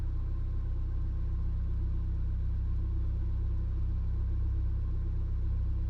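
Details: Car that also jerks under load and hard acceleration idles with a low, uneven rumble and faint irregular stumble at steady speed; rough idle misfire, cause not yet found.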